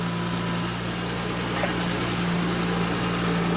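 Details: Honda Accord V6 idling while warming up after thermostat replacement, heater on high, check engine light from a high-flow cat; steady, even hum with no misses or hunting. A rattle was noticed, possibly the tensioner pulley.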